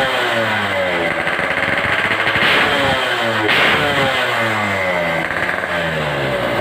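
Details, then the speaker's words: RX-series two-stroke motorcycle engine, all stock, revved before a test ride to check sound and power; crisp ringing note rising and settling cleanly, steady firing, no misses, normal. "Ini kita tes TJE yang mau dicor. Kita tes dulu untuk suaranya seperti apa, powernya gimana, baru nanti kita coba jalan."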